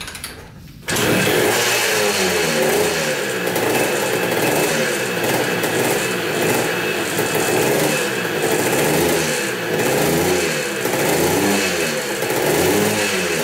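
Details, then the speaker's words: 1980 Kawasaki KDX 175 two-stroke after fitting a silencer with an o-ring seal: steady crackle with revs gently rising and falling, much quieter than without it, normal running. "[Music] i'd say that's working that's a lot quieter definitely a lot quieter"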